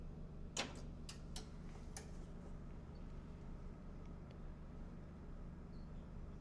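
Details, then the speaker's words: Onkyo M-510 vintage power amplifier at first power-on, plugged directly into the wall without isolation transformer (it previously kicked in and out of protection on an undersized one): half a dozen sharp ticks in two seconds, then quiet hum; clicking at power-up, cause unclear. "lot of clicking. Oh wow. A lot of interesting things to talk about right off the bat."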